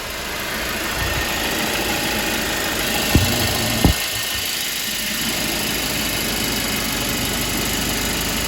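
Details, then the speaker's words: Mercedes-Benz C250 after turbo removal and rebuild: even idle with a couple of light early clicks, no knocks or whistles; cooling fine, no leaks, running normally. "Fine, it's cooling properly. Check the cooler level is cooling properly. Oil is going through the system and no leak so far, so hopefully it stays that way."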